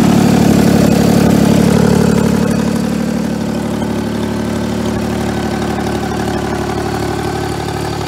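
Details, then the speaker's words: 1988 John Deere 322 mowing tractor, about 200 hours since frame swap, carb just cleaned of tank sediment: runs steady at about four beats a second with loud, raspy exhaust; sounds like a blown-out muffler, suspected, not confirmed. "so yeah it runs good it kind of sounds like with the muffler blown out but"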